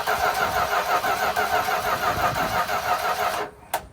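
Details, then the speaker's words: 1972 Dodge W200 Power Wagon, first crank in years during revival, no throttle; even starter churn about three compression pulses a second, spinning freely without catches or knocks, a little fuel trickling from a line; normal cranking. "Saw a little bit of fuel coming out of that line there, but it turned over not so bad."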